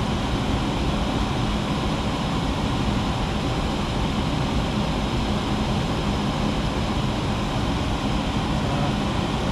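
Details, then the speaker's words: Nine-year-old furnace under warranty, blower motor drawing 5.42 A within its rating: steady, even low rush of air with faint constant hum, no rattles or squeals; sounds better than the upstairs unit; blower running healthy. "as you can see it it sounds a whole lot better than the one the one upstairs"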